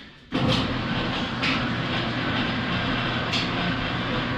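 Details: Speed Queen commercial dryer after replacing drum rollers and belt, formerly grinding: steady even drum rumble with no thumping, scraping or squealing; normal dryer running.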